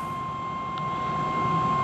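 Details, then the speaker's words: Eberspaecher Airtronic D5 5 kW diesel heater from 2013 on test bench after servicing and glow plug change; fuel pump running, steady high whistle over soft low rumble as heater tries to start; undervoltage error suspected; start attempt. "All right, so we hear the pump starting and the heater is trying to start."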